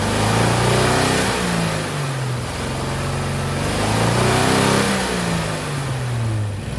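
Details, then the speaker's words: 1963 Chevrolet C10, Stovebolt straight six with only good cylinders 1, 2 and 6 connected, run after clearing Marvel Mystery Oil; revs up and falls back twice with choppy, uneven beat, still running on three cylinders. "Wow, so even with only 3 cylinders connected, it still runs. That's amazing."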